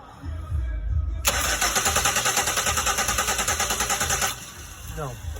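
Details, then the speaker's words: 2001 Pontiac Aztek 3.4, crank no start with no spark and no codes, ignition module replaced earlier: starter spins steadily and the engine never catches. The two-wire crank sensor at the back of the block gives no signal, so the sensor is judged bad. "All right, no signal from the crank sensor. It's not grounded. The line is not grounded. Only one of them is low reference. That makes me think that's a bad sensor."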